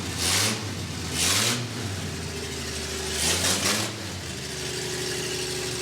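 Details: FJ40 with small-block Chevy V8, first start after Holley Sniper EFI install: low, slightly uneven idle from open exhaust with a few loud hissing bursts; engine runs, still needs tuning and vacuum setting.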